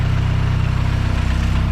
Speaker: I don't know if it was like building compression back quint dude it sounds 100% normal now